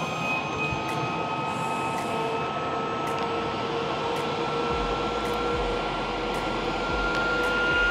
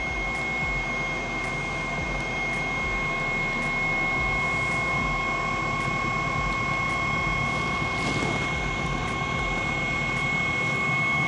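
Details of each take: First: Eberspaecher Airtronic D5 5 kW diesel heater from 2013, on a functional check after a glow plug change. The pump runs and it tries to light with an airy roar and climbing whistle, then fails to start. Under-voltage is shown, with a voltage drop at the diagnostic adapter. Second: 2013 Espar Eberspächer Airtronic D5 5 kW diesel heater: once it lights, steady even roar with fan whine, no sputtering or surging; heater fired and running normally.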